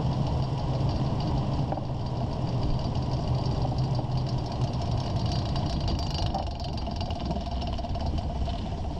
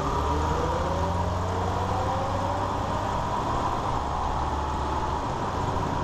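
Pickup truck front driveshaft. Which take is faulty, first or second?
first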